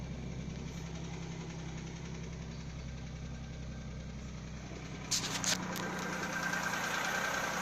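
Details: Audi A6 C4 2.6 V6 (ABC) petrol at cold idle: light regular knock near three per second under even hum, unchanged after oil change; cause unknown.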